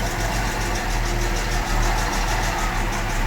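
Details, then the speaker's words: 1975 Jaguar XJ6 Series 2 SWB with full mechanical rebuild and electronic distributor, on a borrowed battery; slightly uneven loping idle with occasional dropped pulse, light misfire, possibly one cylinder or choke, valves may need reshimming. "I can hear it's got a little miss. I don't know if it's just because one cylinder's not firing or it's just a little bit choked up. So it probably needs a little bit more tuning."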